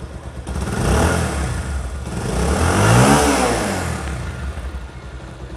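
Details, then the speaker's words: Pulsar single-cylinder bike after fixing a loose timing chain and refilling engine oil: revs smoothly with an even exhaust beat and no chain rattle. A slight whir from the magneto side remains. "বাইকের sound বলতেছে যে 100% accurate হয়ে গেছে।"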